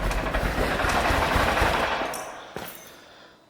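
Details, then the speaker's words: Car that had a no-start, after the fuel pipework was reconnected. It chugs rough for about two seconds, then sags and dies as throttle is given: stalls when accelerating, cause not yet found. "okay it didn't like a a guy gas that was positive it started as soon as I gave it some gas it um conked out so I'm going to have a go again and see what's going on"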